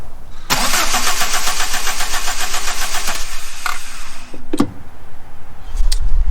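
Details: Abandoned VW Mk3 with 2.0 L ABA engine, after cleaning distributor cap: starter spins the engine at an even brisk crank for about three seconds, never catches; owner suspects no spark from the coil, not confirmed.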